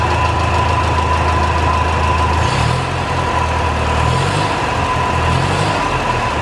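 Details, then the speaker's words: 1949 Ferguson TO-20, Continental Z120 four-cylinder, first run after 15–30 years sitting, carburetor inlet cleaned, no coolant so brief run: slightly uneven running with constant high whine; owner suspects bad generator bearings, unconfirmed. "wow sounds like the generator bearings are really bad though that sounded pretty rough"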